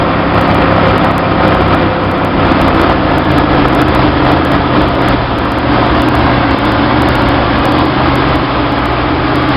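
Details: 1966 Chevy sports van, stock 230 straight six with HEI, Weber 32/36 two-barrel carb on stock one-barrel manifold via adapter, in neutral while adjusting the choke: fast, steady high idle; most likely vacuum leak at the extra gaskets, suspected.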